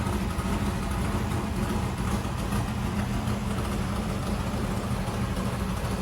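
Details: 1964 Corvette vintage race car, first start with a newly installed engine; loud, steady V8 idle with an even deep rumble, no knocks, ticks or misses; normal idle.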